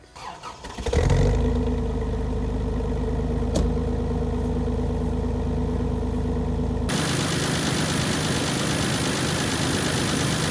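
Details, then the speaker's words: 1988 Toyota FJ62 Land Cruiser with crushed front end, new transmission, motor maintenance and new exhaust about 3 years ago, driven about 100 miles when picked up; quick crank then catches and settles into a smooth, even idle, no knocks or misses; healthy. "The list goes on and on, but let me show you what it sounds like because it sounds really good."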